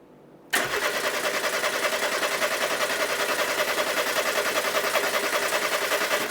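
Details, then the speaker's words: 1990s French hot hatch barn find, turned over with all HT leads off to lubricate the engine: even cranking at about three and a half beats a second for six seconds, with a faint crackle. Healthy cranking with no firing. "Nice. I could hear a crackle of something."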